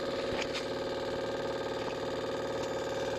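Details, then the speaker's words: Spark-ignition engine ignition system on a bench rig as speed is increased: quick evenly spaced snapping ticks, about four a second, over a steady motor hum; spark jumps the gap cleanly. "Okay, now I increase the speed here. So you can hear the spark."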